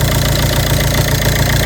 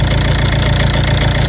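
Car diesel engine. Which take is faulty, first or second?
second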